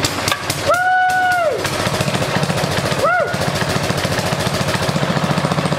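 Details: Almost two-year-old Briggs small engine, just reassembled after its plastic crankshaft gear failed, run at half throttle on choke: a couple of rising squeals, then a steady, even putter with no knocking. It is running healthy after the repair.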